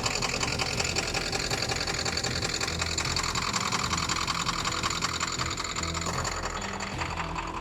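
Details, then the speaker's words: Ford Power Stroke diesel truck during fuel bleeding, with injector cleaner added and a coolant flush running: loud clatter with a lumpy, uneven beat of about two and a half pulses a second; the truck and coolant reservoir are shaking. "I don't know if you can see how much the truck the truck's shaking cuz it's running rough, but like sounds like it's got a big old cam in it."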